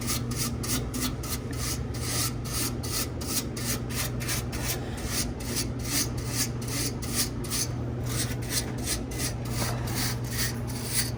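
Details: 100-pound ice machine during a harvest cycle: a dry rhythmic rasping squeak a few times a second over a steady hum near the condenser fan. The technician doubts it is the fan motor and suspects loose metal nearby; this is unconfirmed.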